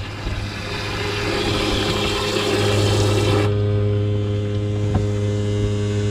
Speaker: so we're testing the automatic float on the build pump guys kind of filling up this back here and look at this that's [Music] awesome like it's pumping it all